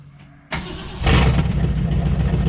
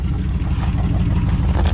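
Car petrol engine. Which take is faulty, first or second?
first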